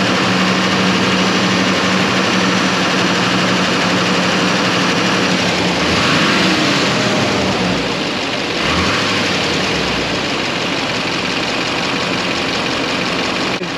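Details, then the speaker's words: 2007 Chevrolet Silverado 3500 6.6 diesel, restarted after installing Banks parts: catches into a smooth, steady idle, then clean throttle blips; healthy start and idle. "like it sounds good it looks good"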